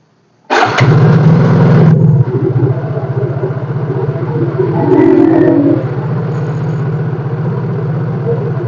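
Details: Yamaha Mio J with weak-starter complaint, battery charged to 12.78 V and tested for voltage drop while cranking: silence, then a strong, quick crank of about 1.5 seconds firing into an even idle; starting healthy, charging later 14.2 V.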